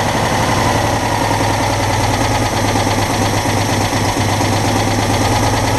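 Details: Citroën Dyane 6 air-cooled twin after carburettor jets were cleaned (previously would not hold idle and cut out; dirt passed the fuel filter, owner also suspects gasket air leak): steady, even idle with no stumbling or misses, sounds healthy.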